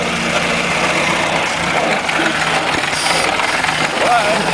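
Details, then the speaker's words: 1926 Morris Cowley rolling chassis on its first drive after a two-year restoration: small old four-cylinder runs with an even, light patter, no misses, knocks or smoke; healthy engine, second gear engages firmly. "Oh, it's bloody beautiful."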